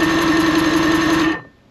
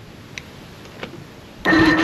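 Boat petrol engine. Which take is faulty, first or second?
second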